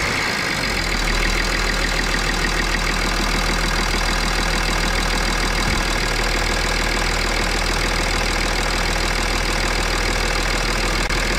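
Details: BMW X6 3.5d M57 biturbo diesel after replacing failed turbos, oil done, warm at idle: even steady clatter with no whistle, knock or hunting; no leaks, no smoke (it smoked before), sounds normal.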